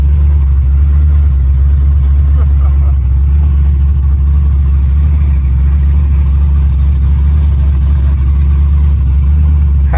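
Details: Car sat a long time and was out of fuel; after refuelling and fuel rail pressure reached 55–60 PSI, it started. Deep, steady, even rumble with no misses or stumbles; runs cleanly now it is getting fuel again.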